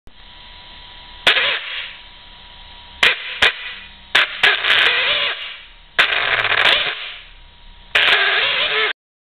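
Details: Kyosho Inferno VE with an Orion 2050 brushless motor; short throttle bursts give a harsh crackling rasp over a faint steady whine, owner unsure if this noise is normal, cause unknown.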